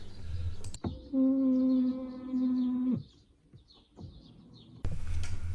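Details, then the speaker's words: BMW E60/E90/E70 electric steering column adjusted up/down: steady high-pitched squeal about two seconds while column motor runs, then stops; dry column bearings and screws, fixed by spraying WD-40 under the cover behind the wheel. "If you're having issue with this annoying sound while moving your steering wheel up and down, I'm gonna show you most efficient solution on how to"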